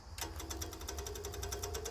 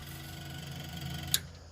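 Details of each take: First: 1970s Layton roller compactor with a Ford Taunus V4: the electric fuel pump gives a fast, faint, even ticking of about ten clicks a second over a low hum. The pump is weak from a bad ground, though the battery may also be dead. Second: Electric fuel pump on 1970s Layton roller compactor with Ford Taunus V4, after suspected bad ground fixed, line disconnected so no pressure; quiet steady whirring buzz, one sharp click, less clacky, fuel now flowing; pump working normally.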